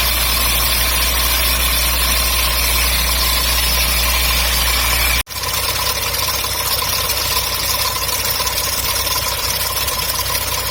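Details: MGB engine at idle, water pump replaced summer 2019: steady idle with a loose, irregular ticking over a bright mechanical hiss; abnormal engine noise, source unclear.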